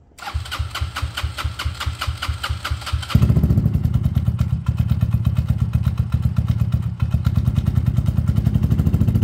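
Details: Peugeot Tweet 125cc scooter with new top end fitted: owner says earlier it took ages to start after sitting; automatic choke connected. Fires quickly, revs and holds a steady even beat without stumbling or cutting out; runs healthy.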